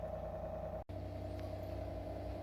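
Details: Sujiko RO water purifier with microcontroller, in normal purify mode after an 18-second auto flush: even, quiet motor hum with steady mid tone, no knocks or surging; booster pump filtering normally.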